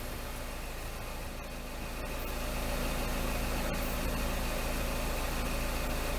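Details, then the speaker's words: Engine idling with P0420 (catalyst efficiency below threshold, bank one) while the tailpipe is partly blocked with a damp rag to check for exhaust leaks; even idle pulsing, steady under back pressure, no puffing or ticking; no leaks, exhaust sealed. "there doesn't seem to be any leaks now we need to check the catalytic converter"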